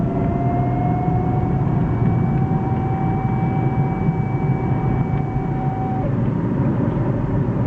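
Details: BMW E36 320iA automatic, 250,000 km, driving cold about a minute after start: thin steady whine over heavy road rumble, absent when standing and fading when warm; cause was a nearly new driveshaft center support bearing.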